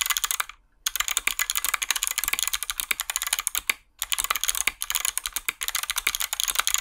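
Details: Hotswap 60% mechanical keyboard with 61 keys and Kailh box switches: quick, crisp clacks with clean returns on the long keys and no tinny rattle, as the stabilizers were lubed; normal stabilizers.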